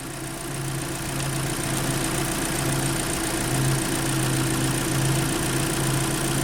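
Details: 2012 Kia Soul that clicked and wouldn't start: steady, even idle while the alternator puts out over 14 volts, so charging is healthy; the battery is not holding charge.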